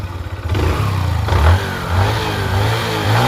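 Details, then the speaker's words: Honda Dream Yuga motorcycle after full engine rebuild, engine washed with diesel so light exhaust smoke: blips up and drops back cleanly, firing steady and even with no knocks, very smooth; some chain noise remains. "వినండి engine sound చాలా అంటే చాలా smooth అయింది బండి మొత్తం మీరు sound వింటే మీకు అర్థమైపోతది"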